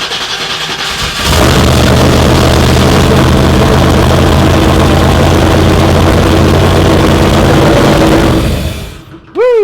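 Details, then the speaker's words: Turbo car on E85, first start after resetting the dual-sync distributor and correcting plug wire order: brief crank, then it catches and settles into a steady, deep, even run with no misfire or knock; normal start. "it started though yeah oh dude first start right up heck yeah that's awesome"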